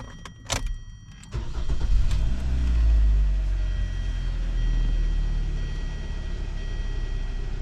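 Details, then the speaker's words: Hyundai Sonata after replacing the steering assist coupling to cure a steering wheel knock. The engine starts and settles to a smooth, even idle with no knocking or clunking through the steering column; the noise is gone. "Noise is gone. See, it was that easy."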